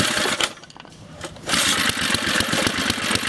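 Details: Briggs & Stratton 2hp lawnmower engine, restarted after moving a grounding wire that had vibrated against the carburetor body and caused a stall: stumbles, then catches into fast, fairly steady popping, with smoke clearing. Normal running.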